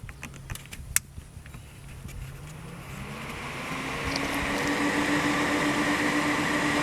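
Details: Dometic RV refrigerator overheating in hot weather, fix with double fan installed behind fridge in outside access, speed knob turned up: airy whoosh and steady hum swelling over a few seconds; fans running smoothly.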